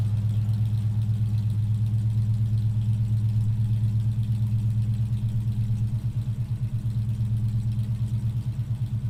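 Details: 1968 Ford Mustang during a pre-purchase inspection, just started cold and not revved: steady low rumble with an even, regular firing beat and no knocks or ticks. Some condensation from the exhaust. Normal cold idle.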